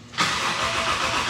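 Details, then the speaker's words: BMW E30, just back from the frame shop, fresh gas, new code shown: the starter spins with a steady whirr but the engine never catches. Crank no start, caused by the camshaft position sensor being unplugged. "all right hold up something's not right look oh it's not plugged in up there oh the cam sensor that would be nice"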